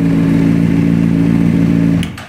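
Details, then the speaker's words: 2004 Honda CBR600RR after fixing a no fuel prime no-start fault in the ignition switch Zener diode; steady even hum at constant pitch, then shut off and winding down; smooth healthy running with no knocks. "And everything's running, and that's, you know what? I'm pretty happy with that."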